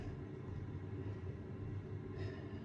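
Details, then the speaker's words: Rinnai direct vent wall heater with error 11, after carbon was cleaned off the igniter tips; the igniters come on and the burner runs with a low steady rumble, no sputter, pops or misfire. Normal burner operation after the fix. "call and it looks like the igniters come on everything is working as it should so there you have it"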